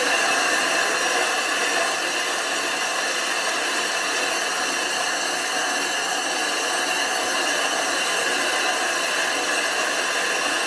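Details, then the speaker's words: Grinding flat the back of a 25-inch F3 telescope mirror blank thinned from 2 in, turning about 45 RPM with fresh abrasive: constant even gritty howl with no catches or stalls, the howl meaning it is grinding properly. "want to hear that howling grinding sound if it's not howling it's not grinding"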